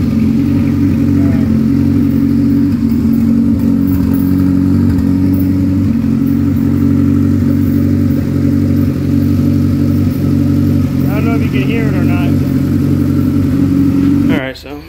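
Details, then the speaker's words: Turbocharged Honda Accord F23 with freshly built head, at idle; coarse whirring growl over engine, then shuts off; turbo bearings failing, shaft play, starting to smoke. "the building boosts and everything is just the bearings going bad it's starting to smoke a little bit and it's got some play in it so that's what that noise is"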